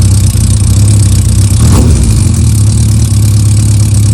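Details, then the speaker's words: Yamaha Diversion motorcycle, warm, after Seafoam in the carburetors and a clutch shim: smooth even idle just under 1,000 rpm, previously hesitant, with light valve gear tick and no clutch rattle; normal healthy idle. "I like the tick over just under 1,000, to be honest. It wouldn't do it before the sea foam. It was hesitant, but it's, you know, a lot better."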